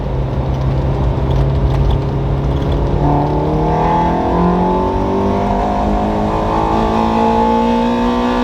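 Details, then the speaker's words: Toyota MR2 Spyder with 2ZZ-GE engine swap, first drive, untuned with imperfect AFRs: engine pitch climbs under acceleration, then the tone hardens as VVTL-i high-lift cam engages; not pulling as hard as it should. "It wasn't as frank as I was hoping, but You can definitely hear when the lift comes on."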